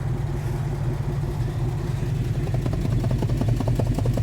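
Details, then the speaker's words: 1980 Dodge W200 with swapped Magnum 5.9 V8 and a used carburetor, warm idle: uneven, loping beat with dropouts; dead cylinder on the passenger side, exhaust smells of fuel and is very rich. "It smells like gas, and it's got a ton of pressure and it's turning my hand black. That's not good. That's missing on that side."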